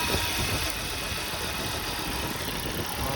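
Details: 2003 Volvo V70 2.4 four-cylinder, engine shaking at idle: uneven idle with beat stumbling now and then; misfire code 3502, suspected bad ignition coil, checked by old-school method of pulling coils.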